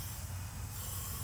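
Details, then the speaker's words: Vortec 350 small-block Chevy leak-down test, engine stopped, cylinders five/six with both valves closed: steady airy hiss as air escapes on intake and exhaust sides; valves not seating, no air in valley so rings good. "both valves are closed and you can hear the air see that same thing on the exhaust side so that's telling us that our valves aren't seating"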